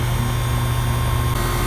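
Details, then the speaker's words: Ten-year-old Goodman HVAC unit after compressor replacement and R-407C retrofit, about seven pounds charged: steady, deep even hum with no knocking or rattling; normal compressor running. "they've got seven pounds in run just flipped around [Applause] sounds a lot better"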